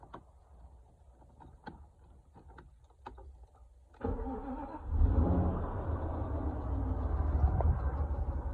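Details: Mercedes-Benz M119 V8 (W140 AMG) starting up: faint clicks, then an uneven, rough idle with a low, irregular patter; the belt was suspected but ruled out, and the owner suspects the hydraulic lifters, with replacements bought but the cause unconfirmed.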